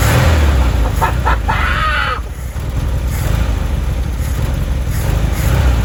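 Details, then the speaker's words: 1973 VW Beetle, first start in over 10 years after fresh fuel, a new battery and a direct feed to the starter solenoid: a low, loping air-cooled rumble settling into a steady idle with no knocks. A healthy start. "and it starts what on Earth these cars are in insanely special I can't believe how easy that was considering the fact that this car hasn't run in years great news we've got a solid engine and listen to that sound it sounds amazing"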